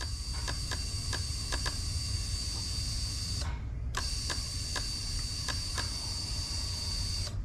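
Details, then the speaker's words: GM 2nd-gen HEI/MEFI marine system, 12 V applied, test light tapped on purple-white wire to trigger: steady electric fuel pump hum with hiss and light regular injector ticking; computer awake, pump and injectors working normally. "every time i do that i am going to i should hear the fuel pump run in this case and the injectors are going to click so let's do this here"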